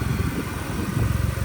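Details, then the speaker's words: Vauxhall Corsa VXR replacement engine after blown head gasket, exhaust refitted, no coolant, run only seconds: short steady low idle with even pulse, no knocks or rattles; solid-sounding engine. "There you go, that's it idling."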